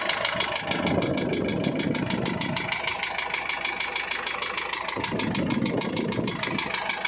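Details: Isuzu 4JH1 diesel engine knocking at idle: a sharp, even metallic tick about three per second over the clatter; cause not yet pinned down.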